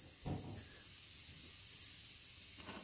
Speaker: you can still hear the hissing but I'm hoping you can distinguish the dist the difference between the cabinet over there and the fact that this isn't leaking